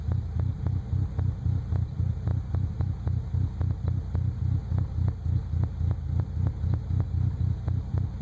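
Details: 1998 Nissan Frontier at idle: deep, lumpy idle with a regular thump nearly four times a second, shaking rather than smooth; rough idle.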